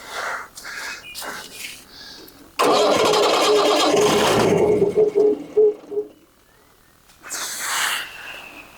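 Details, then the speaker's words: 1980 Leyland Terrier diesel water truck started after sitting about 19 years at a brickworks: brief cranking catches into a loud, rough diesel clatter that quickly settles; the old engine starts and runs. "and that's how it started after sitting at the brickworks for the 19 years"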